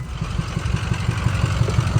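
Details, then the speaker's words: Used diesel truck considered for a budget mud truck, with a drum-like knock owners fear is the cam: rough idle with deep uneven thumping and irregular popping back through the intake, bad enough to pass on buying it; cause unconfirmed. "So unfortunately, it was popping through the intake pretty bad, and I didn't want to risk buying something that we instantly just was broken."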